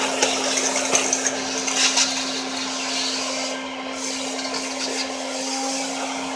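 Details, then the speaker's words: Old vacuum cleaner after repair with a t-shirt reusable bag liner replacing the failed bag: steady even motor hum with smooth airflow rush, no rattles or surging; running normally, almost as good as new. "Give it another test run. And pretty much almost as good as new."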